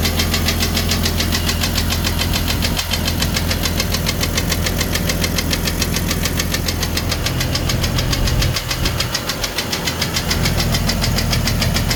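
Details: 1999 Jeep Cherokee XJ, 257k miles, broken piston skirt: loud tapping about 3.5 per second at idle, appeared after a jump start in winter (20–35°F), persists when warm, speeds up with rpm, oil pressure fine; piston slap.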